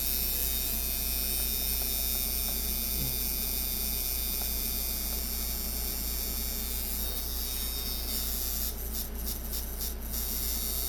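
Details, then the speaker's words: Cheap eBay hybrid tattoo machine clone, Micky Sharpz copy, after tuning, run at about 7–8 volts; steady fast buzz with a constant hum underneath, no stutter or rattle; runs smoothly and seems better at 8 volts. "it sounds like it runs a little better at 8 volts and gets a little it goes from like hitting soft to like hitting really hard fast"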